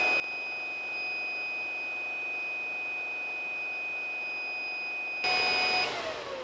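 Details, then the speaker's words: Supermicro server with X7DWN+ dual socket 771 motherboard: a steady, piercing high-pitched alarm sounds continuously over fan hiss because one redundant power supply is broken; owner tries removing the broken unit to stop the beeping. "okay this is really really annoying with a broken power supply so let's see if I remove the broken one if the system still can't run without all the beeping stuff"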